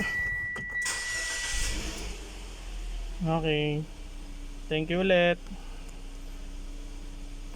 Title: Mitsubishi xpander cross 2020 - engine won't start intermittent